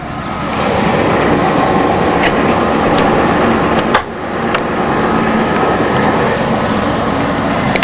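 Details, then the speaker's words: 1992 Ford Crown Victoria ex-police car, stock 4.6L V8, mileage unknown, idling after a cold start following a week of sitting. Steady, even, smooth rumble with no knocks or misses; sounds healthy. "she sounds good 4.6 L V8"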